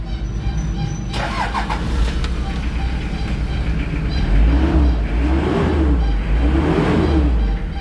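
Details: Hyundai Starex diesel after fixing a hard-start problem, glow plugs pre-heated 8 to 15 seconds: short crank, fires promptly and runs on with a steady low clatter; starts cleanly without struggling.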